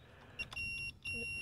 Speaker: we'll put our multimeter down onto the ohms or the buzz ohms and what happens there is when you have continuity in a circuit and the two these two leads touch you can hear the hear the noise so you have an audio visual you have the sound